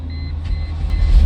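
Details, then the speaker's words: 2001 Mercedes E320 that cranked but wouldn't start, with the fuel pump relay bypassed: engine catches and settles into a steady low rumble with no knocks or misses; starts and runs normally. "There it runs. Okay. Then it cranks up. It runs."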